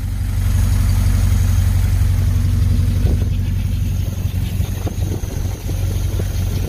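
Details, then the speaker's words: 1951 Pontiac Chieftain engine revived after long storage, radiator refitted with coolant, idling as it warms up; steady, even low rumble with no knocks or ticks, no coolant or oil leaks. "so yeah there it is running um with cool inant so I'm letting it get up to Temp letting it making sure it you know everything gets properly lubricated in there"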